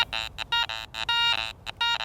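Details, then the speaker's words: Garrett ACE 400i metal detector with the Iron Audio feature on, scanning a bottle cap: choppy buzzing grunt tones, about six in two seconds, instead of a clean ring, marking an iron, non-good target. "I'm getting some of those grunt sounds that iron flanking sound that tells me it's not a good target"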